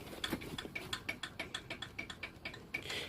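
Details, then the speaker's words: Exhaust off the car, weak flap spring squeezed to simulate the fault: light, tinny metal ticking at about six clicks a second as the exhaust flap rattles because the spring lacks tension. "this little springy thing here is the thing responsible for it rattling because basically there isn't enough tension in the spring"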